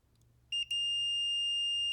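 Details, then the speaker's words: Mitsubishi Evo 6.5 Tommi Makinen no-start diagnosis, relay bench test with 12V on terminals 2 and 4: faint click, then a clean steady multimeter beep showing continuity across terminals 1 and 3; relay works. "now i check continuity between terminals one and three i've got continuity there too"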